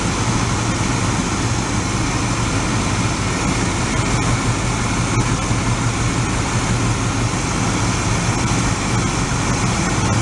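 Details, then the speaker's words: 1986 Oldsmobile Cutlass Supreme V8, sat five years, after finding the number three spark plug wire burned off: even, steady idle with a deep smooth exhaust; sounds better, though still fluttering occasionally. "jeffy sounds better"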